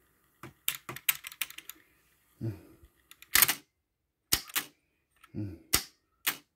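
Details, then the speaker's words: Pioneer CT-F900 cassette deck after fitting a stronger cut-down idler spring with the original idler tire: crisp, prompt transport clunks engaging and releasing; mechanism working properly, the weak spring was the fault. "okay and it's working Like A Champion okay flawless so it wasn't the idler tire at all it was the spring that was the problem"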